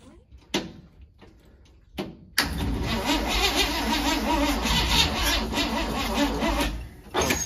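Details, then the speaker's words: 1971 International Metro Mite, AMC 232 engine, 3-speed automatic: after choke turned off, the starter cranks with brief catches that die out, then rough uneven running. "Hitting one spot and stopping"; owner thinks it had way too much timing, possibly needs fuel. "All right, will it crank back up? What's it doing? It's like hitting one spot and stopping."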